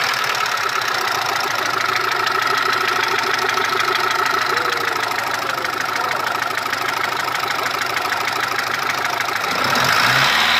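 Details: Mitsubishi 1.3 petrol engine after rebuild with cylinder head and block work: steady idle with a sharp, regular tapping about three times a second riding over the engine; a knock needing tracing.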